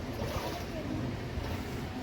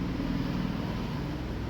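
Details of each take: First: Whirlpool top-load washing machine (1-2-3 board type) after replacing worn mechanism bearing and water seal, running with water: steady sloshing and soft motor drone, no grinding; smooth operation, previously very loud on spin. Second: Washing machine on spin: steady low roar and rumble, no noise during washing, from a worn bearing in the drum mechanism, fixed by replacing the mechanism; worn drum bearing noise.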